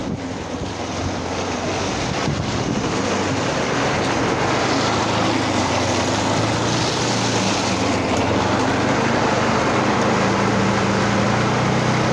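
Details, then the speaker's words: Vintage reel mower rebuilt with an upright-mounted single-cylinder lawnmower engine and added oil reservoir lubrication: steady, even putter with no knocks or misses; running smoothly. "Yeah. She's a runner. She's a runner. Oh, good old-fashioned stuff."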